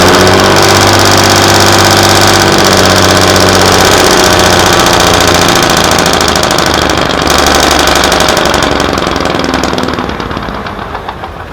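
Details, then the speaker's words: Class 117 DMU 51412 diesel engine at its first start in five years: fires and runs with a steady clatter of about four beats a second, then winds down and stops shortly after; fault under investigation. "She fired up. She lived. And then Shortly thereafter, as you've seen, she's stopped."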